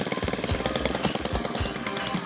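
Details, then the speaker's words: Stihl FS 91 string trimmer after a basic tune-up with the idle raised, having sputtered and nearly died before. It now has a brisk, steady two-stroke idle that holds without sagging and runs healthy. "It's working much better. It's healthier. It doesn't sound like it's going to die."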